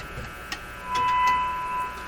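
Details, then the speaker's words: 1925 Magnavox Type D TRF radio in its cabinet with curving horn speaker, on temporary power supplies, fed a 1000 Hz test tone: the tone drops out then swells back while tubes are wiggled; intermittent signal dropout, heaters coming and going. "Okay, a little bit of tube wiggling. Got more. Let's wiggle some more. Oh, we had it, and then I went and made it go away."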